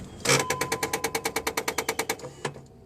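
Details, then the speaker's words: Vehicle with intermittent 4x4, brake and ABS warning lights, listened from under the driver's seat after ignition off: about fifteen sharp even ticks at roughly eight per second, then stopping; source unknown. "off do you hear that ticking let's listen for it one more time start the vehicle [Music] up"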